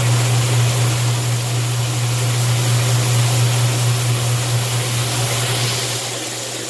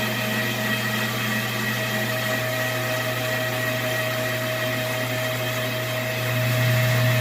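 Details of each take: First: Washing machine with the lid switch bypassed by a screwdriver, on the drain cycle after filling: a steady low drain-pump hum under rushing water, easing slightly near the end. The water drains normally. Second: Washing machine on spin test: steady motor hum with a fixed tonal drone growing louder. Water is not draining and rises in the tub; a restriction in the washer drain pump is suspected.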